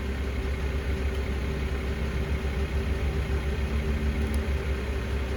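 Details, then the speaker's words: BMW E60 525i 3.0 petrol N53 after replacing the faulty ignition coil: steady, even idle, starts well, no shaking or strange noises, no more misfire fault codes; the coil was the cause and the misfire is fixed. "if it goes well, it starts well it does not shake it does not have strange noises"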